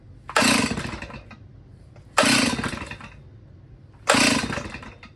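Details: Old Stihl chainsaw, a non-runner that sat about 10 years: three rope pulls about two seconds apart, each a short raspy churn fading out without catching. No-start cranking.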